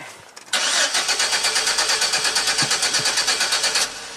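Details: 2006 GMC Sierra V6 that ran rough then died; owner already replaced cap, rotor, plugs and wires. Starter cranks evenly at about three turns a second for over three seconds but never catches; crank no-start with no spark from the ignition module.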